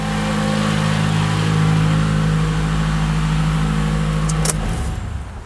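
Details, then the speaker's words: 2012 Toyota Camry 2AR-FE after replacing the broken upper timing chain guide, idle: smooth even hum at steady pitch with no screech, grinding or ticking; engine sounds healthy. "Well, didn't really do it. [Music] That's much better. I like how that sounds good."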